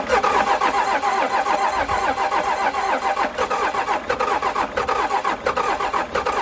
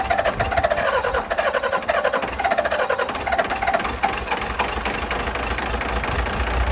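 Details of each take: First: Cummins 6BT 12-valve roll-back tow truck after piston replacement and thinner head gasket, cranking on jump pack after injector bleeding: steady ~90 rpm cranking, no firing; primer/lift pump found pouring diesel, suspected as the cause. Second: 12-valve 6BT Cummins diesel after piston replacement and a thinner head gasket, number six injector now getting fuel: smoky but settles into an even diesel clatter with no misses; running well.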